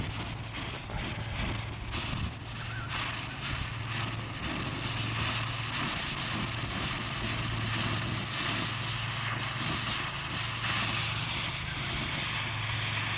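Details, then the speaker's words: Dual-fuel pressure stove burning diesel in a breeze, still preheating and needing longer to warm the fuel: steady, even hiss of fuel vapour starting through the jet over light wind rumble; the burner is beginning to vaporise normally. "can hear that hissing sound that's the fuel Vapor starting to come through"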